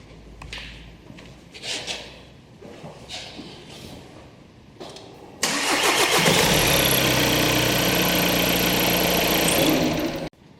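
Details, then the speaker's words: 2014 VW Golf 2.0 TDI EA288 diesel, warm restart with scope back-probed on cam and crank sensors: a few quiet clicks, fires almost instantly, steady even idle until shut off; normal start without the first-start long crank. "This is actually a waveform of the engine starting right up without any issues."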